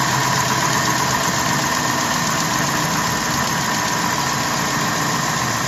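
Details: 2012 Jeep Grand Cherokee WK2 5.7 Hemi V8 cold start after standing overnight: fast, light tick about four per second over idle, quieting within a minute, longer if driven immediately; owner suspects lifter, exhaust leak or noisy injector, unconfirmed.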